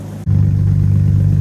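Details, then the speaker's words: Jeep TJ after 15 years sitting and new alternator/belt: fires into a steady, even idle with a faint light tick on top, which the owner says is typical of these engines; nothing wrong. "That sounds like a very little bit of a tick, but that's sort of these engines."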